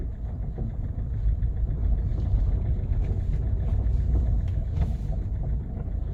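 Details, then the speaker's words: Kia Cerato at 472,000 km driving after door hinges were replaced: only a steady low road rumble, no knocks or clunks from the doors; door knock cured. "ну что все провал тишина"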